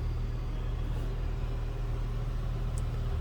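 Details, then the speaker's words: 1999 Jeep Wrangler Sport 4x4 with the 4.0-liter six and an automatic transmission, at idle on a stock exhaust. A deep, smooth, even rumble with no ticks, knocks or misses. Sounds good and healthy. "sounds good. Sounds pretty stock. Slip around the back seat here, around here. No crazy exhaust, anything like that."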